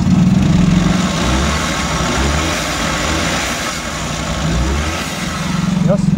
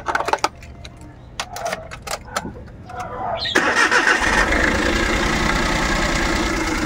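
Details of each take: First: Suzuki Every Wagon small petrol engine, after fixing a misfire on cylinder 2 that caused vibration, revs up and settles back smoothly with an even note, no misfiring or stumbling. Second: Suzuki Every Wagon small petrol engine cranks, starts and settles into a slightly rough, shaking idle with steady rpm; misfire suspected, traced by pulling plug leads one at a time to the third cylinder.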